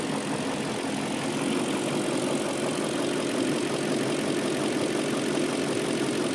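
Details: BMW M62B44TU V8 at idle with stock exhaust, right after the timing chain tensioner was replaced with an aftermarket INA part: smooth, even idle rising cleanly with light revs, no chain rattle; engine sounds healthy.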